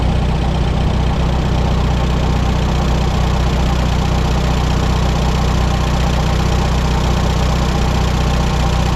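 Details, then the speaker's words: 1954 Allis Chalmers WD45 after splitting tractor and replacing hydraulic seals, idling in neutral clutch out: steady low idle with faint rub about once a second from bell housing/clutch area; may quieten with running, cause unconfirmed. "I do think the noise might be getting quieter the more I run it but it's still something isn't quite right"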